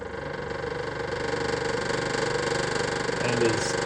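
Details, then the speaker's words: 1966 International Scout four-cylinder, sitting for years with an empty tank, ignition on: fast, uneven clicking at roughly two per second; the aftermarket piston fuel pump is ticking because it is running dry with no fuel. "totally out of gas that's a it's got an aftermarket piston pump so when it's out of gas you can hear it making noise like that"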